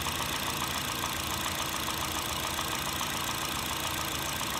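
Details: 2008 Honda Fit (Jazz), 1.5 L, 120k miles, non-CVT automatic, warm idle: a light, even tapping knock three to four per second. It is absent when cold and at higher rpm; suspected piston slap, valves already adjusted, no oil burning.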